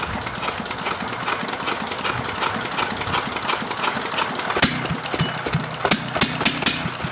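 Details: Restored old S1100 single-cylinder diesel retested without oil priming: even steady thump with clean firing beat, no knock or rattle; running normally, rough gear set kept in use for now.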